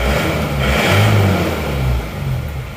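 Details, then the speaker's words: Isuzu Panther diesel after tune-up with fuel filter replaced and valves adjusted: picks up cleanly on throttle blips and drops back smoothly without stumbling or dying. "Ini sekarang kayaknya sudah nggak mati-mati ya. Kita gas-gas. Kalau tadi digas gini langsung goyang-goyang terus mati. Sekarang sudah nggak lagi setelah kita ganti filter solar ini."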